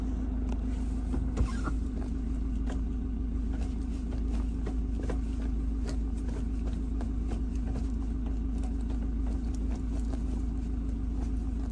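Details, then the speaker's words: Land Rover Defender Puma 110 diesel while driving, after the rattling gear stick was repacked with grease and its weights resecured. Steady, smooth diesel drone with no buzz or rattle from the lever; now really quiet. "Really quiet now."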